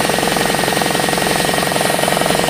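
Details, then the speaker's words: RamAir air compressor, freed up and with a broken fitting replaced, now running: steady fast piston pulsing with a hissy edge. It produces air quickly but never reaches full pressure because it leaks at the shaft seal. "a matter of fact it produces air fairly quickly but it never really gets up there and the problem is it's kind of leaking at the shaft seal here"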